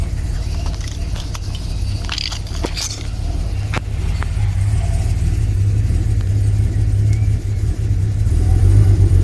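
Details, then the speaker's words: Second BMW B220 marine engine on a Sunseeker XPS 25, first start after revival work: deep, steady idle burble with an occasional uneven beat, a slight miss expected to clear out; otherwise very smooth on tick over. "awesome that one sounds like it's missing a tiny bit but it'll clear out certainly very smooth on tick over nice"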